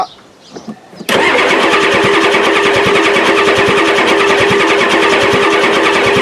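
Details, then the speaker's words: 1993 Ford F-250 7.3L IDI diesel after new injectors, injector lines just tightened; owner suspects the injection pump is out of time: steady, even cranking at about three compression pulses a second that drags on without catching; long cranking, hard start. "this is the pliers that probably sounds like it wants to go but I really need somebody to help me"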